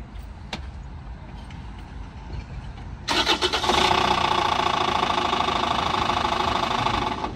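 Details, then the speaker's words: Rover 75 diesel, failed suddenly while pulling into a car park: cranks, fires, then harsh rapid uneven knocking over idle, an almighty noise; owner suspects engine mount or engine gone, cause unconfirmed. "the AAA man's on his way so I think it's an engine mount but it is making An Almighty noise"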